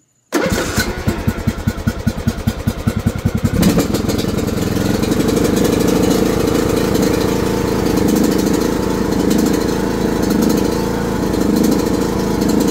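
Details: 2020 John Deere E100 mower: cranks in quick even pulses, catches and runs hard at steady fast pace; owner reports it dies when throttle is lowered and will not restart, cause unknown.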